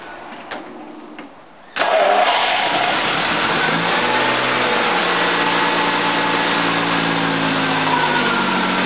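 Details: 1977 Jaguar XJ12 Series II 5.3L V12 EFI after new radiator, oil cooler and fans installed: brief crank then clean catch into smooth, even steady idle. Normal start and idle.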